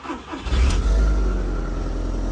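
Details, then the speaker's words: MK1 Audi TT after fuel sender repair with the fuel pump reinstalled. The starter spins briefly, then it fires and holds a steady, deep, even idle; the fuel gauge now reads correctly. Normal start and idle. "and we're running, and the gauge is fixed."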